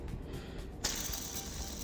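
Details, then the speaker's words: VW Polo 6R/Vento 1.4 CLP engine, old idler pulley removed and spun by hand: dry, rough crunching whirr as it spins freely like a fidget spinner; bearing grease gone, worn pulley being replaced with the tensioner pulley. "Then I will see if that noise is gone, because there's a very bad noise here, crunching noise. But both of the pulleys, the grease are gone."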